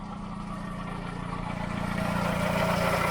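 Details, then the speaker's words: MGB at 99,000 miles, starts straight away and idles steadily with a low rhythmic grumble about three pulses a second from the timing end; owner suspects a knackered water pump or tensioners behind the cover, engine itself sounds alright. "but grumbly down here. Now I would say, and a lot of you will comment I'm sure and tell me your thoughts on it, but I would say it sounds like it's coming from behind the cover, and it sounds like a completely knackered water pump or tensioners."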